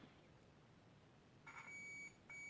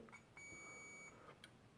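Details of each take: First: Philips Brilliance 220SW (HWS9220I, May 2009) LCD monitor with a backlight fault: two short, high-pitched meter beeps show continuity across a capacitor near the CCFL high-voltage transformer. A short is suspected, not confirmed. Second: Philips Brilliance 220SW (HWS9220I, made May 2009) LCD monitor board with a backlight issue: meter gives a steady high-pitched continuity beep of about three-quarters of a second across what seems to be a zero-ohm resistor, which is likely normal.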